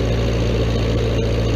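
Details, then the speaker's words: Old Vermeer 665A stump grinder with many years of use, just fueled and started, idling with a steady, even low rumble, no knocks or misses, while cutting wheel, tongue and travel controls are shown: running like a champ, normal idle. "fuel up there she goes running like a champ"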